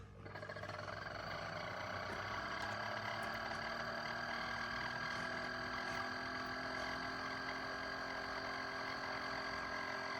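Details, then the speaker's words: Chefman single-serve K-Cup coffee maker brewing: a steady buzzing hum with faint fast pulsing throughout, an unfamiliar weird noise of unclear cause; the brewed coffee came out not very hot. Abnormal noise during brewing. "That is a weird noise. Do you hear it? Uh, okay. I'm not used to that."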